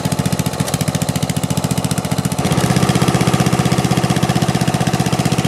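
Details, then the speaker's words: Snapper rear-engine rider, 12 hp Briggs & Stratton single, after rebuild and new metal ring gear: steady thumping beat, rough with occasional stumbles, missing now and then; misfire, suspected spark problem, owner wants correct magneto. "well what do you know it got started um it was running pretty rough it sounds like uh it sounds like a spark problem still"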